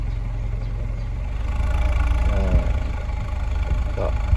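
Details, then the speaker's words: Honda City on CNG/gas, after a repair for stalling on gas: in gear D against the brake, low steady idle holds smooth and even, no dipping, hunting or stalling; normal idle in gear. "เดี๋ยวเข้าเกียร์Dเหยียบเบรคครับวันนี้ข้าวเกรียบดีเกียร์เบรคเครื่องก็ยังนิ่งอยู่"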